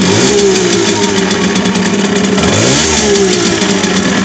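Small two-stroke revs with a rough, buzzy note and an extra rattling edge on throttle; something is off, cause not yet clear.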